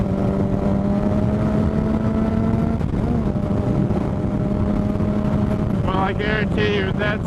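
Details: 2007 Suzuki GSX-R 750 running rough as if on three cylinders, steady constant-pitch whine over it; owner suspects stator or regulator/rectifier, battery fell from 13 to 9 volts, unconfirmed; engine misfire with whine.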